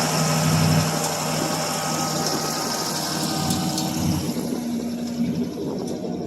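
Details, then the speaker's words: 1978 Pontiac Bonneville 301 V8 on a cold start after nearly two months snowed in; single-chamber muffler, no cat. It idles roughly with loping, sagging beats. The owner suspects a plugged carb idle circuit, since it won't idle once the choke comes off. "y know car bear needs to be taken apart the idle circuit I think is plugged up in it cuz it will not idle once the choke comes off"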